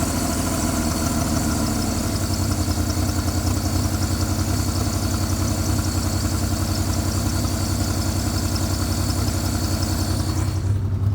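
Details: Jeep Liberty petrol engine idling: very loud rough uneven low throb with hard shaking and smoke, no metal-on-metal knocking, stalls if left idling; misfire considered, cause unknown.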